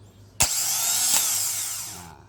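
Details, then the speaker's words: Car starter motor wired straight to battery positive without a relay: a sharp click as the pinion throws forward, then a high whine spins up for about two seconds and winds down. Normal, freely spinning starter. "maju dan berputar ya Nah seperti itu ya teman-teman ya jadi dia muter dia maju muter untuk ketemu dengan namanya Free Will ya"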